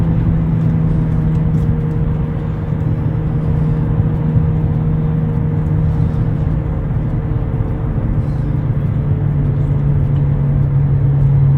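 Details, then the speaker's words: 2009 Nissan Altima 2.5 CVT, driver's front wheel bearing. A steady low drone holding one pitch over road rumble while cruising; the growl was very loud at about 40 to 60 mph, and the bearing and hub were replaced. "you might have to replace the wheel bearing if you're hearing like a real loud growling noise in your car this one was making a really loud noise at about forty to sixty miles an hour"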